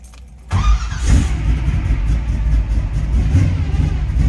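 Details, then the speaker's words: 1971 Chevrolet Nova, built 400 V8 (Isky cam, Eagle rods, Muncie 4-speed): quick crank, fires right away and settles into an even, lumpy cammed idle; starts easily. Normal start and idle. "See how easily it starts up."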